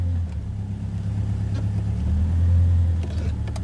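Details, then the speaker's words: 2002 Subaru Impreza non-turbo, in drive: loud open-pipe rumble swells slightly with no grinding or clicking, where before it went "grind grind grind" from a suspected broken CV axle; drivetrain turns smoothly. "but at least i'm not hearing that horrid sound i heard before when i put it in drive it was just grind grind grind"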